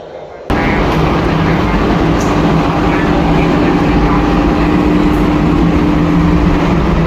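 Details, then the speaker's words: Supermarket air handling unit on VSD, jet grills in corridors with tenant slot grills blocked by partitions; loud steady air rush with low fan hum, excessive airflow noise, fan speed to be reduced via VSD. "So now we are having the trouble with the noisy sounds. This noisy sound it go inside to the supermarkets because our supermarket are opening now"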